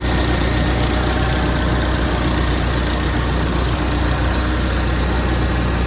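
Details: Hyster forklift with a Mazda FE engine after a head job, valve lash set at cold spec (.008 in exhaust, .010 in intake): smooth, even idle rumble with no knocks, ticks or misses. The engine idles cleanly.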